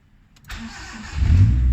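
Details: Proton Wira 1.5 MMC no-start traced to a main relay grounding fault: after the fix, a short crank, then it catches and settles into a steady, even idle. Normal start.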